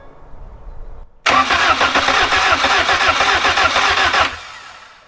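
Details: 1994 Honda Civic EX, first start-up of newly rebuilt engine, in neutral: brief crank, catches cleanly and settles to an even steady idle, no knocks or misses; smoke is handling oils burning off.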